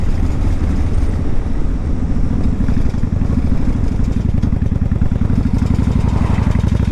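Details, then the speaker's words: 1995 Honda Shadow 1100 with 22,000 miles on a test ride: a fast, dense metallic chatter over the V-twin's deep, steady drone, a light piece of metal vibrating against a larger one; source still unknown. "I don't know if you can hear it or not but it's a light piece of metal vibrating against a larger piece of"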